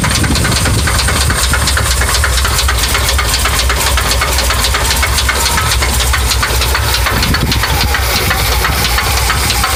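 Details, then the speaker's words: 1982 Chevy V8 at idle with a steady low rumble and dense rapid ticking knock; owner doesn't know the cause and asks what the knocking noise is. "okay I have an 82 Chevy and it's making a knocking noise I don't know maybe you want to I know what what this noise is"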